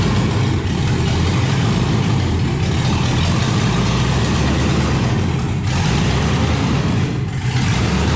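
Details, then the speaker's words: 1971 Chevrolet Impala donk with LS-swapped V8: after dying on a light rev, rough, uneven low idle with lumpy stumbling beat, firing on only three to five cylinders; misfire on multiple cylinders. "uh you see in the video we pulled it out of the shop and we backed it up and I went to just rev it up a little bit and it died and since then it only ran on like three four maybe five cylinders at most"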